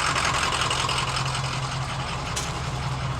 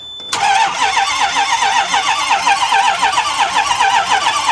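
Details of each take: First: Diesel bus that sat for years and had low injection oil pressure, now running after batteries were refitted: steady low diesel clatter at an even idle with no misses or knocks; sounds healthy. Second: Long-idle diesel bus, sitting 5 months, with low oil pressure for the fuel injection: starter cranks over at an even, healthy pace for several seconds but never catches; long crank, no start, batteries running down.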